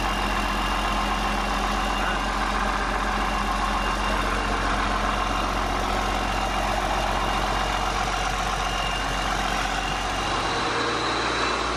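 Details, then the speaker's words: 8.3 Cummins swapped from a Ford F800 dump truck into a Case IH 2366 combine, first start after reassembly following a thrown rod, straight pipe: steady even diesel idle, loud open-pipe rumble, no knocks or misses; choppy at first, then smoothed out, smoke clearing. Normal idle. "yeah it sounds good to me like it was it was choppy a bit at first I meant it smooth out and all the smoke is going so yeah"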